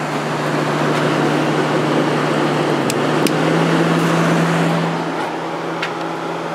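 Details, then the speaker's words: Whirlpool-made Coolerator 7,000 BTU window air conditioner with an Emerson fan motor, cleaned, fan only on high drawing 1.02 amps. Steady low hum and even airflow with a couple of faint ticks; normal fan operation. "that's what we draw on high fan speed with just a fan running 1.02 yeah so it runs great especially now that it's all cleaned out"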